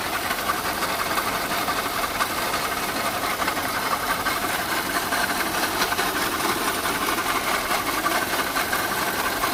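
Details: Abnormal engine noise at idle: loose, irregular tapping roughly seventy times a minute over a steady idle; source not yet identified.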